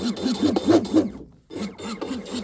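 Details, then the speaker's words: Deltaforce Vortex RC hydroplane after the stuffing tube oiler block is installed and filled with oil, cap on for a slow drip while running: quick motor blips spin up to a clean whir with no grinding or rattle, a healthy driveline. "So this should actually give you a slow drip while you're running the boat, right? That sounds so good, man."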